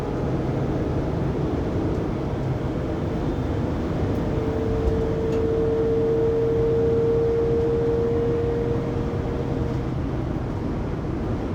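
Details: 2020 Pleasure Way Plateau FL (2019 Sprinter 3500XD) cruising at 80-90 km/h, recorded on a phone, after driveshaft and differential replacement: a steady tone near 500 Hz over road drone, holding for seconds. Loud whine, source undetermined.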